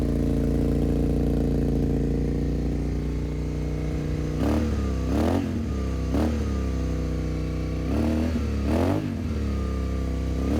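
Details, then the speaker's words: Suzuki SV650 V-twin, abandoned for years, first start after adding 10W-40 oil and a battery swap: fast, steady idle held for several seconds before throttle blips, well above normal; cause unconfirmed. ">> Sounds like it's idling really high. I'm not sure if there's a choke on here anywhere."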